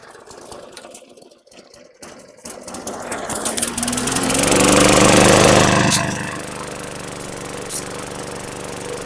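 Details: 2012 Weed Eater push mower, 550E series 140cc engine, suspected hurricane flood victim, primed: rough start with crackling handling noise, then catches, revs up and settles into a steady even beat; normal running.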